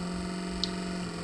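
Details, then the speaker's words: Old failed Nissan Figaro window motor bench-tested on 12 V from a car battery: steady low hum that is slow to get up to speed and runs real slow; sluggish motor, replaced with a 300ZX motor that is much faster and quieter. "but it takes a while and it's real slow so that's the old one"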